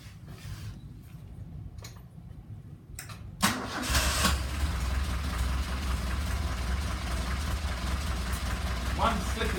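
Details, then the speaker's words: Vintage Alfa Romeo after cylinder head overhaul, injection swapped for two reconditioned, balanced carburetors, ignition timing set: quick crank catches and settles into a steady, even idle with no misses or knocks; normal start and idle. "One flick of the switch and she's off."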